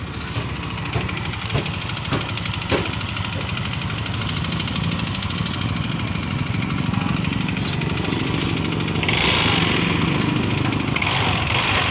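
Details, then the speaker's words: Yamaha Mio MXI 125 scooter with a noisy engine: loose, uneven knock from the crankcase at idle. A connecting rod or side bearing is suspected, but the pulley side and slider are to be checked first. "Ayan m meron tayong iche-check dito na mix 125 maingay kanyang motor sa bandang part ng kanyang makina"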